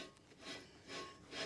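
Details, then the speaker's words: 2005 Nissan Elgrand 3.5 2WD front wheel bearing, hub spun by hand with brake disc removed: dry, gritty rasp swelling about twice a second with rotation, no play felt, cause of the cabin droning noise; worn wheel bearing. "that is a bearing that's had enough all right it was no play in it whatsoever which is probably why nobody else has picked up on it but it's done for"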